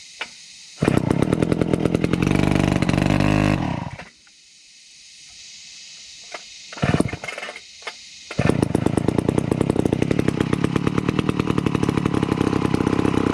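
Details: Vintage McCulloch 250 chainsaw running after a restoration: fires with a crisp, rapid crackle, dips briefly, then picks back up and holds steady; runs healthy.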